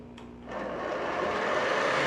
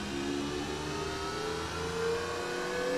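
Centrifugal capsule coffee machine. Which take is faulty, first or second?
first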